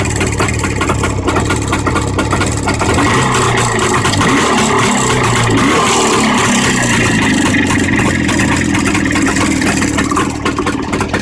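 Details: Jawa 634 two-stroke engine revving up and down: rattly knock over the exhaust that rises with the revs; engine knock of unclear cause.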